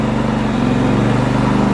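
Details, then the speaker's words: Repaired Champion 4500 W dual-fuel inverter generator in eco mode with a 1200 W load: automatically idles up, steady low firm hum holding speed smoothly under load; normal. "And you see when it's in this eco mode, it automatically idles up and it tells you how much power consumption you have here."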